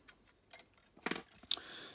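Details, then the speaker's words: Olivetti Quaderno PT-XT-20 laptop hard drive powered via USB interface: sharp, bright clicks a few times a second with no spin-up hum because the heads are stuck to the rubber parking bumper. "these cliques mean that the head is stuck to the the rubber bumper"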